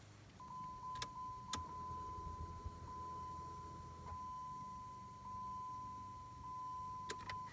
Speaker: listen and you should have heard that humming noise that's the fuel pump priming